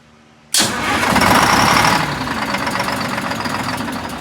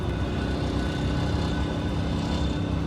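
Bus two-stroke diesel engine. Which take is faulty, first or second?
first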